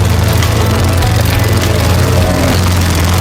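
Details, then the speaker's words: Lawnboy 10761 mower, Tecumseh engine, after a tune-up with the original carb cleaned, not replaced; smoke, thought to be old oil in the exhaust, cleared. Loud single-cylinder putter stumbling unevenly; engine stuttering, cause not yet clear. "Wonder why she's stuttering."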